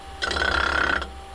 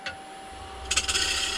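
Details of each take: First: Wood lathe bowl turning on a faceplate, with the gouge held against the spinning top face. Rapid even chattering ticks and a squeal as the tool bounces over high and low spots, showing the surface isn't yet flat. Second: Wood lathe bowl turning from a log on a faceplate, modified bowl gouge on the bottom/face: even, unbroken shaving hiss all the way round, no chatter or bouncing, earlier skipping gone; face now flat and running true, steady continuous cut.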